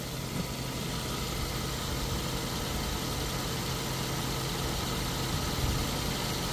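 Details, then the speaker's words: Ford Figo petrol/CNG, after cylinder head valve work to cure a misfire and bad vibration, idles smoothly and evenly with no hunting, stumbling or misfire; a bottle on the engine stays steady: normal smooth idle. "बाकी गाड़ी बिल्कुल silent है देख रहे हो बोतल भी बिल्कुल स्मूथ"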